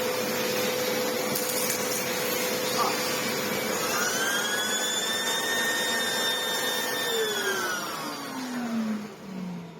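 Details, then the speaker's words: Old red Sebo C2 Total vacuum with turbo head, after airflow restored: steady motor hum, brush whir climbs as the head spins up freely and winds down at switch-off; owner thinks the only fault was lack of airflow; turbo brush working normally. "It's actually a fair bit happier now. Literally, I think all that was wrong was just the lack of airflow from the machine."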